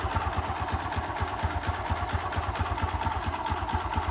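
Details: Honda XRM 125 (possibly fuel-injected) small single at idle: sharp, fairly regular knock about twice a second over the exhaust beat; owner asks where in the engine the knocking comes from.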